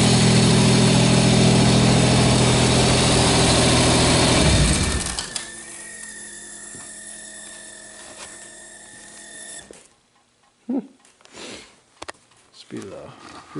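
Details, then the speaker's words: 1986 Pontiac Firebird V6 cold start: loud roar settles to a quiet idle with a faint, steady high squeal from the top of the engine; owner suspects the valves or fuel pressure regulator, unconfirmed. "valve errs or feel pressure regulator making that sound a little squealy sound sounds like it's coming from up here somewhere"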